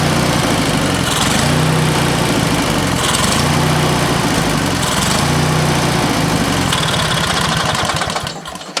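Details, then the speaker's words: Used lawnmower engine fitted to an old Ariens walk-behind mower, running after work on the head bolts and a new top, on fuel of doubtful quality with little in the tank: even quick single-cylinder patter with slight surges as idle is set, then sputters and dies, likely out of fuel. "Well, it ran good. Runs really good. Trying to get it to idle there at the last little bit, but I think it'll work just fine for what we need it."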